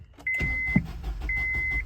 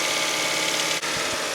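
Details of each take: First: First-gen Honda Insight hybrid, started for the first time after years of sitting, once its battery was brought back: the engine catches and settles into a low, even rumble under a chime repeating about once a second. A clean, normal start, low on fuel. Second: First-generation Honda Insight hybrid idling a little high. A steady airy hiss over the fast idle is heard, indicating a vacuum leak whose location has not yet been found.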